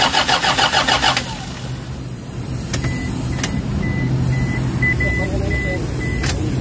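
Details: Toyota HiAce common-rail diesel that died suddenly and won't restart even after bleeding, codes P0087, P0107, P0400: starter turns it over in even pulses for about a second but it never fires; crank-no-start from low fuel rail pressure.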